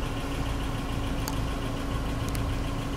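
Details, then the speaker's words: 1997 Lexus SC400 (1UZ V8) barn find at idle: low rumble with uneven lumpy beat; misfire without check engine light, owner says it needs a full tune-up, cause not confirmed. "you guys are gonna see that when we start the car it does have a misfire um without a check engine light"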